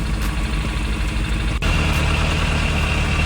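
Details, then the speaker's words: Suzuki Bandit 600 four-cylinder after a carburetor rebuild and carb balancing; air-mixture screws are not yet adjusted. Even, smooth idle with no misfire, running on all cylinders; the earlier misfire is fixed. "so there we go not quite perfect I still need to do the air mixed mix your screws but it sounds much better no Miss fire wo it's fixed much better all in line all happy"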